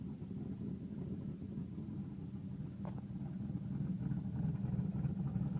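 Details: 1992 Firebird 3.1 V6 with new lifters, timing checked, and a recently replaced sensor switch: uneven, loping idle with an irregular pulsing rumble; owner suspects it sounds like a cam, cause unclear.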